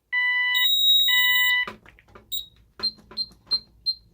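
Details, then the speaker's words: Ademco 6139 alarm keypad during a zone test: steady piercing tones, then clipped high beeps repeating about three times a second, the intermittent fire-zone alarm, like the 6137R. "All right, here comes the fire zone. Dark. There. And as you can hear, this one does the intermittent beeping like the 6137R."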